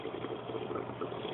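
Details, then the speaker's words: AquaticLife Internal Mini Skimmer 115 protein skimmer in a two-week-old tank: continuous bubbly gurgle and sputter from the air intake connection, even with a low water level, before the quieting mod. "you can see that it's fairly here that's fairly noisy so take a listen panic gurgling sound is because the input"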